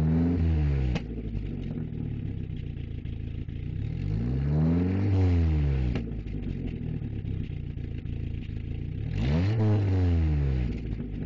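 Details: 1994 Volkswagen Jetta: engine revs up and down twice with uneven popping stumble, roughly four beats a second; owner unsure whether misfiring or backfiring, cause unconfirmed.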